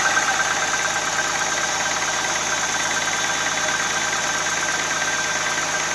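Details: Audi A6 C4 2.6 (ABC engine), cold idle: faint, uneven light tapping about three per second over the engine hum, unchanged after an oil change; cause unknown; engine knock at cold idle.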